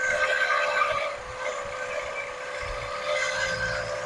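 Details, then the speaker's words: 1979 Lincoln Continental, first run after 32 years stored: steady, high, piercing squeal with little low engine note, holding pitch; confirmed smog pump by screwdriver-stethoscope listening. Smog pump bearing squeal. "Put it on whatever item you think might be making a noise. Yep, it's the smog pump. It tickled my eardrum."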